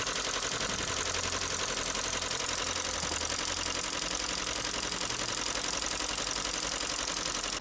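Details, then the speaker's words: Project SRI car at idle with loud, sharp ticking of about 220 per minute. Owner suspects a failed hydraulic lifter, not yet confirmed. "So as you can hear, that's quite a substantial ticking noise that the car's got. Definitely something that's going to have to be addressed because I don't want the next owner to have to listen to that, but I definitely want to get that sorted."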